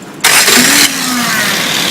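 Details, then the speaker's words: Freshly rebuilt 1380cc Mini engine with a Cooper S remote-shift 3-synchro gearbox, on a test stand with a test alternator and an exhaust piped outside. Brief crank, then it catches into a steady, smooth idle with no vibration. Normal engine start. "Here we go. Running with a test alternator. You see our test exhaust system here feeding outside. But here we go. Beautiful, quiet, no vibration, smooth, shift through all the gears, no oil leaks. Looking very nice."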